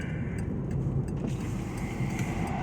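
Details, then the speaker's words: VW Passat 1.8T with Stage 1 APR tune, airbox removed for free-flowing intake, plus downpipe: steady engine drone with quick fluttering chuffs on throttle lift; turbo compressor flutter now audible through the open intake. "So, but you don't even know if you can hear it or not until you get the air box out, because that it quiets the noise intake so you can't hear it. But with the intake freed up, you can hear the flutter."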